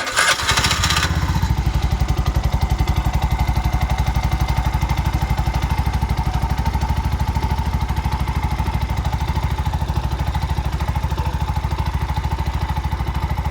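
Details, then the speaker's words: Bajaj BS6 single-cylinder bike after rebuild with new shaft, bore, head, oil seal and gasket: fires on first try and settles into an even, steady beat with no knocks or rattles; normal start and idle. "Complete ಆಗಿದೆ ಇದು, ಏನು problem ಇಲ್ಲ, okay ಇದೆ. ಮಾಡ start ಮಾಡಿ. ಯಾವುದೇ ರೀತಿ ಏನೂ ನಾಯ್ಸ್ ಇಲ್ಲ."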